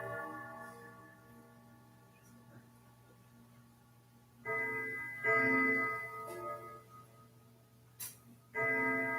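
Soft ticking, then clear, ringing chime notes in an even, mellow sequence: the chime mechanism strikes cleanly and sounds healthy.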